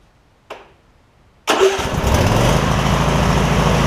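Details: Husqvarna rider mower, 24hp Briggs V-twin, about 190 hours, after refitting a fallen-off right-cylinder exhaust pushrod: catches after a brief crank and settles into a steady, even low run with no misses; sounds healthy.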